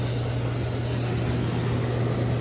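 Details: Hot tub with newly installed replacement pump, after the old pump squealed, quit and just hummed: smooth constant low hum with steady water rush, no squeal or rattle; running normally.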